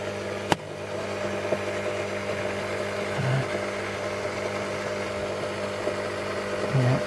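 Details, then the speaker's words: Ferrari 308 GT4 with newly installed engine coolant pre-heater (heating element on top, pump below), after fixing a coolant leak: steady low hum, faint pump whir, odd soft click; heater warms cylinder head to about 55–60°C; normal coolant pre-heater operation. "right bugged it in switched it on and it's running and then you can hear it makes a bit of a noise"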